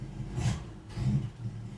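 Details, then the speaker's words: 1973 Ford Maverick, long parked, first start with a new starter, carburetor untouched and the fuel gauge near empty: low, uneven rumble surging in irregular bursts, choking out. Owner suspects carburetor problems. "You hear it's choking out."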